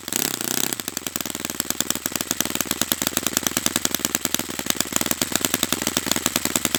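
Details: Brand-new Saito FA-100T twin model engine on test stand during break-in run: after a brief start, an even stream of crisp popping exhaust beats at a steady rate with no dropouts; running perfectly, normal.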